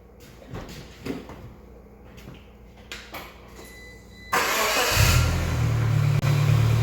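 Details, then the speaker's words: Geo Tracker after replacing the camshaft and crankshaft seals, water pump, timing belt and timing cover, refilled with antifreeze: the engine fires and settles into a steady, even low idle with no knocks or misses; running normally. "so far so good the new uh timing cover looks really good on there everything's running in order"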